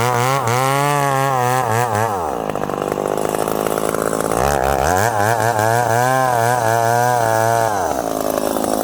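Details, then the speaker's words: Ported full-house McCulloch Super Pro 70 (70cc) chainsaw, 32-inch bar, in hard-cutting wood: revs freely, then pitch sags hard each time it's buried in the wood. Bogs and lacks the pull of his 850; cause not pinned down. "this saw with a 32 inch bar it does not have the pull of this 850."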